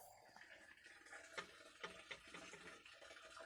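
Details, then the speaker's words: Well built around 1974 under a brick well house: faint irregular bubbling and trickling in a quiet enclosure. The source of the flow is unknown; the owner thinks the well was originally a spring. "That's the gurgle of the well. See this well? Right here."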